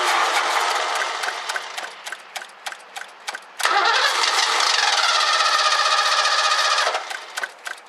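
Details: 1984 Ford Mustang GT350 carbureted barn find: starter cranks about four beats a second, engine catches three seconds then dies, cranking resumes; fuel starvation suspected, fuel filter to be checked.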